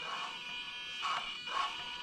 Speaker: you can still hear the throttle motor buzzing so it's definitely working but you'll see it only opens a little bit